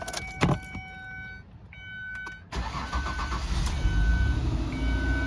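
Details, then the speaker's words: Mazda Tribute Ford 3.0 V6 after cylinder 5 misfire code, spark plug threads cleaned and coil reinstalled: short crank catches quickly, settles into a steady, even idle with no stumble or miss; smooth running. "oh yeah smooth as butter"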